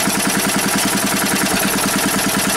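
Quick, even buzzing beat of roughly ten firing pulses a second, no misses or knocks; the small engine is running healthy.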